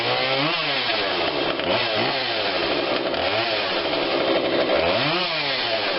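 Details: Husqvarna 142 40cc chainsaw, warmed up, after carb tweak with adjuster tool (low adjustment apparently not needed): high buzzy two-stroke note rising and falling cleanly with throttle, no stumbling or bogging; normal running.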